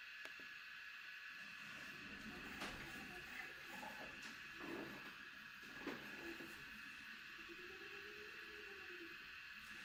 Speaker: it's nice and quiet too I mean can you really hear it is making some cool little stepper motor noises but um for the most part it's not really making any noise at all